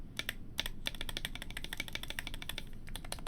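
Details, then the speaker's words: Stock stabilizers rattle badly on a new GMMK Pro keyboard build, tested before stab replacement: irregular sharp key clicks with thin tinny clatter on some strokes; that does not sound good at all. "That does not sound good at all."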